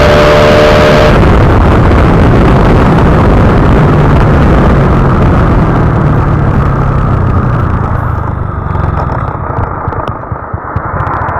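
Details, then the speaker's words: Honda Wave 125i fuel-injected motorcycle after swapping the PCX150 injector for a stock one: the engine pulls smoothly and evenly riding off, no stumbles or hesitation; the rich-mixture hesitation on acceleration is cured. "อ่าโอเคเพื่อนมีไหมพอรอเปลี่ยนไปเนี่ยวิ่งดีเลยเพื่อนไม่มีแล้วนะการติดนะเนี่ย"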